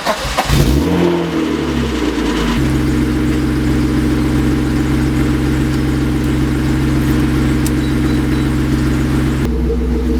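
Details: BMW E36 that would only start when jump-started: brief labored cranking catches within a couple of seconds and settles to a steady idle after jump-charging a few minutes; owner suspects the battery, alternator then checked.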